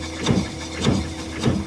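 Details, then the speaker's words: 2018 Nissan NV 3500 van engine cranking during a compression test: three strong, evenly spaced forceful puffs, far more force than a 75 psi cylinder, healthy compression; direct-injected motor, dry a while, prone to intake valve deposits. "big difference also hear how much force you can hear how much more force that hole's got to"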